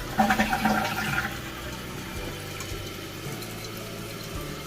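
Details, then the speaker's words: Apartment building toilet tank after fixing water hammer caused by the tank's fill valve: gurgling rush tapers into a smooth steady hiss of water filling under fast flow and strong pressure, with no banging or hammering; refill now normal. "这个声音可能盖上，盖住了。对啊，这进水的声音。你的流速快啊，水压强。"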